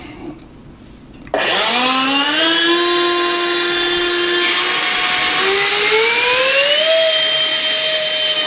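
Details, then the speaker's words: Electric ducted fan in a MiG-21 model build, run from a servo tester powered by the speed controller's lead, before the nose cone is fitted: fan spools up smoothly into a clean, steady high turbine whine, rising evenly in pitch; sounds good. "so you can see it sounds good and you see that that turbine sound that you hear"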